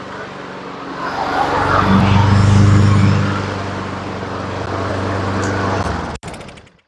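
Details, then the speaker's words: Two-year-old Honda HRN216 mower that wouldn't start, now running outdoors after the fix: small single-cylinder running steady and even, no knocks or misses, settling smoothly before shutoff; normal running. "okay let's take her out and cut a little bit I don't have anything to cut but we have to test our propulsion system okay starts up real good sounds real good"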